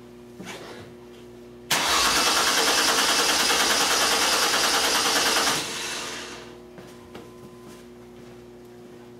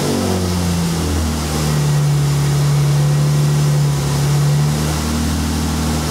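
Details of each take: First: 2002 Mercury Cougar 2.5 L with electronic returnless fuel system, new fuel pump installed with reversed wiring: starter cranks at a steady three beats a second for four seconds and never fires; scan tool shows no fuel rail pressure; crank no-start. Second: 2002 Mercury Cougar 2.5 L, electronic returnless fuel system, starting while pump current is measured on a scope: engine catches and runs with a strong, steady low drone, pitch stepping up and settling as it revs; about 40 psi fuel pressure; normal running.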